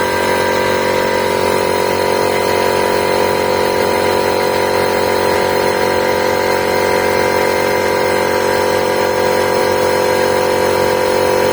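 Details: New MIKKELI AC-50 air compressor, which had low oil and hummed without starting, after a warranty cover replacement and oil refill: steady even hum and rapid pumping up to 8 bar, running normally.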